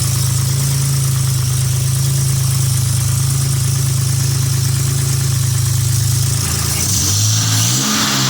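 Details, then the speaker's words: Nissan Z31 turbo engine first start after installing a Remnant Performance Omega 62 (G30-900) turbo, replacing one with bad oil seals, before tuning: steady low exhaust drone with turbo whoosh audible through the exhaust, brief rev; normal running. "but anyway I got it fired up sounds pretty good I like how you can actually hear the uh turbo through the exhaust that's pretty interesting"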